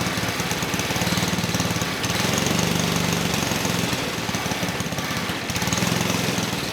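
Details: 1959 McDonough Tin Lizzie T-10 go-kart, single-cylinder engine disassembled 30 years and earlier found with no compression, now running with idle being adjusted down: steady, crisp, regular putter with no misses. Running well.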